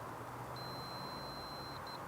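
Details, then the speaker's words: Multimeter continuity test on a Keystone Cougar fifth-wheel trailer's electric brake wire along the axle: one long high beep then two chirps over traffic rumble; chafed wire with exposed copper shorting to frame ground. "Yes, you could hear it beeping there. And that's the blackened piece there, and that chafed area. So I think we've got the problem solved here."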